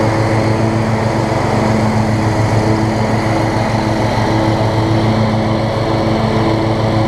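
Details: Toro Z5000 zero-turn, Kohler Courage single-cylinder, after intake valve clearance fixed and choke adjusted; long-sitting mower, muffler oil buildup suspected, slight smoke, oil overfill suspected; steady even beat, no misses or knocks; normal running.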